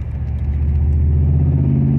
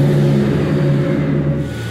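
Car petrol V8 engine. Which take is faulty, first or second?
first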